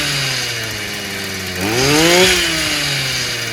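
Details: Stihl FS55 brushcutter, warm, good-quality plug fitted, new exhaust; two-stroke idles steadily, revs up cleanly on throttle and drops back without stumbling or cutting out; running normally.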